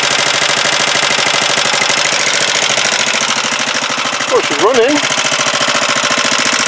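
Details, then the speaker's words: Huoniao HN125 single-cylinder, freshly installed engine, first start: quick, light, regular ticking over a steady tick-over. Valve tappet rattle at idle; the owner thought the tappets were done, but the clearances need adjusting. "then I thought I'd done them tappets but thank you well obviously tappets need doing"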